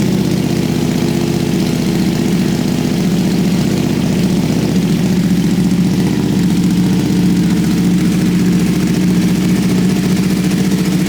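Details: Freshly rebuilt wrecked 2021 Ducati Panigale V2 twin idling after its first successful start, fairings off: steady, even idle with a smooth low throb and no knocks or rattles. Normal idle.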